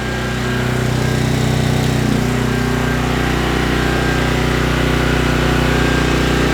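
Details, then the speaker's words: Trash-picked 2005 Craftsman 5600 W generator, 10 HP Briggs & Stratton, warm after about 10 minutes running, 1400 W load applied during an oscilloscope check: a steady, even drone with a constant low hum and no hunting; it runs healthy with a waveform close to unloaded. "I'm going to put a 1400 watt load on it."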